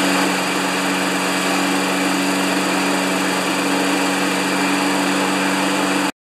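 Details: 1992 Wedgefield mower with Briggs & Stratton Classic engine: steady, flat drone below usual top-speed pitch, only about 3000 rpm, then cuts off; low governed speed after throttle cable was adjusted.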